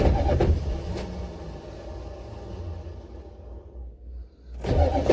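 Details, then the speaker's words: Buick Electra 5.7 diesel, cold start after a year sitting with an unrepaired blown head gasket, jump box, lots of ether, fuel system likely unprimed: long, labored, uneven cranking that never catches, then another burst; owner blames the starter, not confirmed. "so i just don't don't get why it won't fire well i know why it won't fire because that stupid starter won't crank it over fast enough or not necessarily fast enough long enough and now we're dead"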